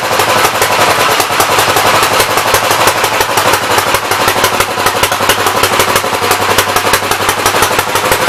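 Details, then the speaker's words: Gravely 64L tractor engine, choke off, throttle up; loud uneven lumpy popping about three beats a second; running rich and flooding, main jet adjuster stuck to packing nut. "Sounds like it's flooding to me, but I can't adjust the mains yet, so. It's definitely flooding."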